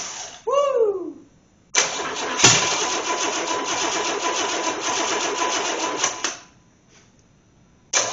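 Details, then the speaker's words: Engine from a 1984 Corvette, unrun for nearly 20 years, on a test stand with its distributor just properly connected: steady cranking with one sharp backfire pop, never catches, apparently firing one bank only; owner suspects distributor 180° out. "woo she farted sounds like I might be 180 out"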